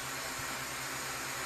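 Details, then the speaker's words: DJI Mavic Mini 2 after repair of error 30210 (motor wires resoldered white, black, red), armed indoors in attitude mode without propellers: steady high airy whirr, smooth and even; motors running normally, error cleared. "kembali bisa normal dan terbang lagi nanti. Digerakkan juga mau berbeda suaranya, jadi normal."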